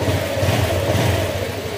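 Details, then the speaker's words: Honda Click 125 scooter after engine overhaul for damaged crankshaft bearing, water pump replaced, fresh Castrol oil: smooth, even hum with steady low beat; the slight tick is called normal, and its absence would mean trouble; normal running. "Yung lagitik sa motor, kaya normal lang yun mga sir ha. Kasi 1024. Kaya hindi nawawala yung lagitik na yan."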